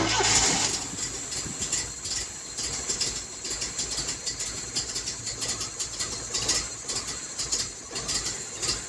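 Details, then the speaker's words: 1980 Triumph TR7 first start: uneven lumpy pulses and hissy top end, rough running; cause unknown, owners wonder if the car's angle or missing intake part is to blame. "I don't know why it's running so rough. I don't know. It did start up though."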